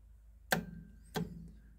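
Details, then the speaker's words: Club Car golf cart solenoid under test with a voltmeter wired between the solenoid terminal and the battery: as the pedal goes down, two sharp clicks about half a second apart, but the meter shows no power; the solenoid has scored contacts and needs replacing. "so in this particular solenoid As I push the pedal down you'll hear it click but I don't get any power on the voltmeter"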